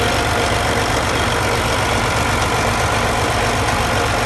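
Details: MX engine at steady idle with a loose, irregular ticking riding on the rumble, roughly two to three per second; abnormal engine noise, cause suspected, not confirmed.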